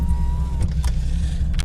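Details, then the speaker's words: 2003 Nissan 350Z, engine idling: power window motor whines briefly, cuts off after half a second, then clicks; windows intermittently won't roll down or up. "These windows are the worst. They never work properly."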